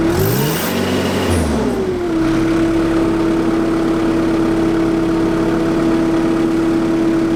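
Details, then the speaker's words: JCB MIDI CX backhoe diesel after throttle cable replacement, testing foot then hand throttle: climbs and falls through quick throttle blips, then settles to steady, even idle hum; normal revving and idle. "I'm going to start it up and I'm going to try the foot throttle first, and then I'll try the hand throttle."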